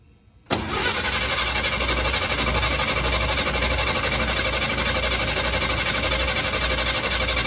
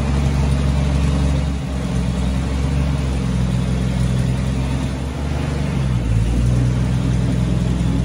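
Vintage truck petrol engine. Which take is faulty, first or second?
second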